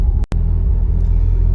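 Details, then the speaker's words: 1992 Nissan 240SX S13, SR20 swap, with an idle system problem; when idle is brought down low the rumble stumbles and dips, sputtering. Sputtering at low idle, cause not yet diagnosed. "you can see i can get down low it kind of sputters a little bit so i gotta diagnose all this uh idle issues"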